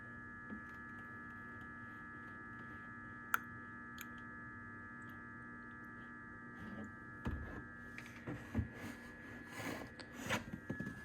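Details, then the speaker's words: 2002 BMW 325i E46, M54 inline-six, manual, electric fan, during radiator replacement and cooling-system bleeding: quiet steady hum with faint higher whine, no clatter; the electric water pump is running normally. "if you listen closely you could hear that pump that electric pump is turning on"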